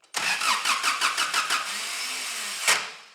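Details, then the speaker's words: 1985 Daihatsu Rocky 2.0 petrol, unused for months, cranking with starting fluid: about eight quick cranking beats with a harsh grind, then a rough hiss and no catch; starter motor grinding on the ring gear, new starter to be ordered. "so tonight we'll order a new starter motor so hopefully we can stop that grinding and we haven't caused too much damage to the rain gear"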